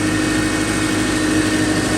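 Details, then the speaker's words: 2007 Subaru Forester at its first start after an engine rebuild for a dead cylinder, cranked first with a sensor unplugged to build oil pressure, not yet warmed up: a smooth, even idle rumble, no knocks, ticks or misses, healthy. "Oh, sounds super good. Purring. Don't hear any loud noises."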